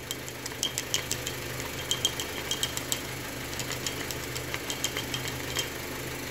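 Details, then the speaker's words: 2011 Honda City petrol engine, warmed up after an engine flush, idling with sharp, uneven metallic ticks about three times a second from the oil pump; the oil filter was badly clogged with something loose inside, and the filter was replaced. "agora dá para ouvir tá esquentando tá esquentando dá para ouvir tem nenhum vazamento o barulho da bomba meu esse filtro tá muito tupido"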